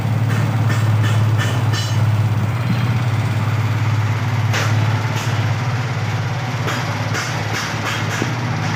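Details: Yamaha R15 V3/V4 engine: steady low drone with irregular light ticking bursts on top, suspected engine or VVA noise; exact cause not confirmed.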